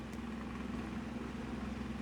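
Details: Mainstays 12-inch oscillating table fan, model TF330E, on medium speed with an already-bent grille: steady low buzz at one even pitch as the wobbling fan vibrates through the loose grille; vibration rattle, eases on high speed.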